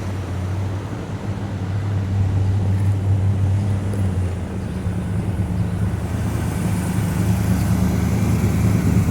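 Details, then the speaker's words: 1970 Pontiac GTO after engine and transmission rebuild, on its first test drive at light throttle: the engine drones and climbs steadily as the automatic shifts smoothly through all three gears and downshifts to first without flare or clunk. "well it's shifted to all three gears I didn't get on it or anything but so far first time around the block all three gears and downshifted back first just fine"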